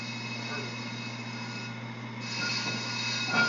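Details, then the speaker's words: Brake rotor on a brake lathe during the cut, before a silencing band is fitted: clear, high, wine-glass-like metallic ring over the lathe hum; rotor resonating, which will cause chatter marks. "you guys hear it ringing hear that ringing that ringing is what's going to cause those chatter marks I don't want that to occur"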